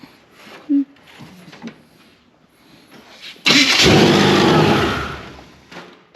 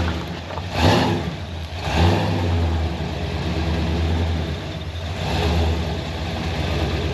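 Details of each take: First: Supercharged Chevrolet C10 after vacuum leak, timing and starter problems: a few quiet seconds, then the engine catches with a sudden harsh roar and settles. Starter works, but it starts violently for unknown reasons. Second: Supercharged (blown) engine in a C10 pickup, after fixing vacuum leaks, timing and starter: deep, very loud rumble swelling with each throttle blip and settling back evenly; louder than it ever was before. Normal running.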